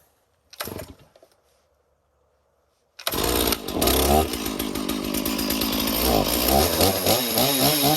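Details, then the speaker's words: 461 two-stroke chainsaw starts and revs, with a rapid rattle mixed into the buzz as it speeds up; chain running very loose and chattering, fixed by tightening. "I don't know why the chain is so loose. Weird. Really loose. Could hear it chattering away on there."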